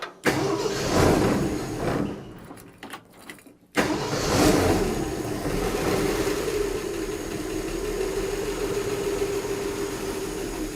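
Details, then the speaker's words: Replacement Ford 240 six in a 1967 Bell Telephone service truck, first start with fuel-flooded intake: rough start then loud, fast, uneven rocker clatter at idle despite full oil and oil light off; loose valve lash. "yeah that is a concerning amount of rattle I did check and we had oil pressure or oil yeah we got lots of oil"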